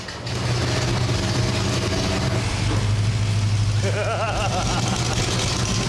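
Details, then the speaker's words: Junkyard Ford 390 FE V8 first start after priming, oil flush and fueling: catches and settles into a steady, even rumble with a faint whine on top, running cleanly; normal running after start. "Oh my God, I'm excited. Our goal was to get it running, and we succeeded."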